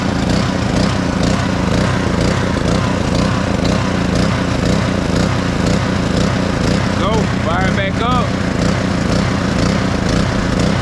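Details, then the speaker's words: Black Max pressure washer with a Honda GCV160 engine, a crank-no-start repaired, first run on choke: the small engine fires and runs with a slightly uneven, wavering beat, speed not holding steady; throttle needs adjusting. "a little throttle issue but man pressure washers do that a little adjusting to it"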